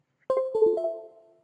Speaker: Those were the musical tones. This dialog says, please wait for the musical tones.